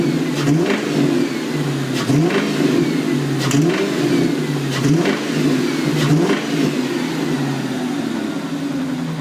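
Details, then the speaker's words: 1997 Mustang GT V8 with a newly bought used engine, revving: rough tapping knock about two per second over the rev swells, also at idle and under load uphill; engine knock, engine to be replaced. "but here are some videos of the engine you can hear the knock when you rev it up"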